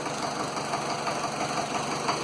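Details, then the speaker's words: Land Rover Series 2a 88 with 2.25 diesel, first start, lots of blue smoke: quiet idle with a faint light knock under the clatter; owner suspects a misfiring injector or a valve, not confirmed. "I reckon it's definitely one of the injectors because it's misfiring. I don't know if you can hear it, but there is definitely some kind of a knock, and I don't know whether or not that's the a valve."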